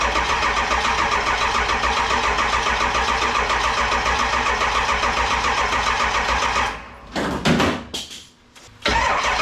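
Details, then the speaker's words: 7.3 Powerstroke diesel in a 1951 Ford shoebox, standalone wiring swap; steady cranking at about three and a half turns per second, never catches, then stops. Injection driver module (IDM) was left unplugged during rewiring, so no fuel delivery. "I know why it won't start I'm a genius sometimes I didn't disconnected the IDM so I could maneuver wires easier this is the injection delivery module I think is what they"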